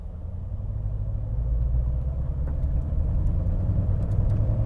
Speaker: y rich but it's hunting which it normally does not do which is very interesting so there is something a little bit wonky going on here you can hear it and see it on the graph it's really doing a lot of hunting